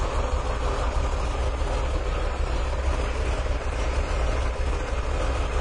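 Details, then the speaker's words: 1997 Mercury Villager with a long-standing rough idle that dies and stalls: low, uneven idle that chugs and wavers instead of settling smooth; engine running very badly. "Oh, and this car runs terrible. Wow, listen to that. Get you a listen at the engine. Hang on. Yeah, that engine is running really bad."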